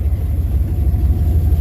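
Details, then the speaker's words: Engine with intake needing removal, after holding throttle until warmed up: low, even burble with steady beat and no stumbles, now idling smoothly. "There it is. smoothed out. I told you once it gets warmed up a little bit, it runs a lot better."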